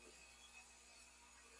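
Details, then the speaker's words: Brastemp washing machine tested without water: a faint steady low mains hum from the energized fabric-softener inlet valve (valve two) coil, quieter than valve one, working normally. "Automaticamente a válvula dois entrou, entrou em ação, ó. Só que o barulho dela tá menor que a válvula dois é a válvula do amaciante, tá?"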